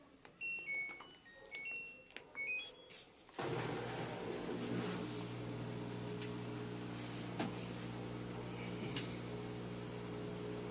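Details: 8.5 kg Turbo Drum washing machine in spin cycle, laundry redistributed; control beeps then steady spin hum with uneven low rumble, shaking excessively.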